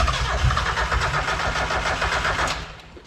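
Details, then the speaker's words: Miata track car with a VVT swap on a RusEFI ECU, first start after trigger wheel tuning on a jumper pack: rhythmic starter churn with a few stray catches that never take, then it winds down; it almost starts. "apparently not after much trigger wheeling it almost tried to start so we're gonna see if it starts"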